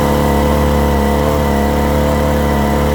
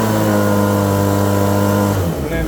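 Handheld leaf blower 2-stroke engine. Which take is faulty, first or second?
first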